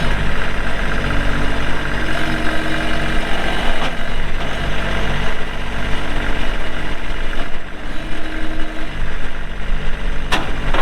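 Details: 2022 Kubota LX2610SU 4WD hydrostatic compact tractor with LA535 front loader, 138 hours, running; deep, even diesel drone with a steady beat, no knocks or rattles. Normal running.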